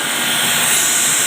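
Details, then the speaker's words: Water-cooled water chiller during a filter core change: a loud, steady hiss with no rhythm as leftover refrigerant gas vents while the filter housing bolts are loosened before the cover is removed. "यह sound आ रहा है यह gas निकलने का sound है जो इसकी gas इसके अंदर बच गई है वह निकल रही है"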